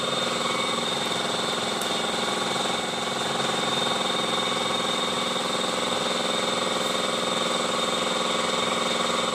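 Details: Honda i-DSI at steady idle: harsh, gritty grinding edge over fast regular vibration, suspected trouble inside the automatic transmission (not confirmed), with delayed shifting reported.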